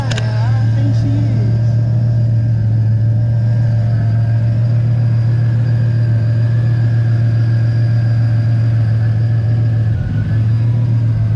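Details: Car idling after new spark plugs and fuel filter check for sudden hesitation; fires right up, smooth deep steady idle, no ticking or exhaust puffing; normal idle.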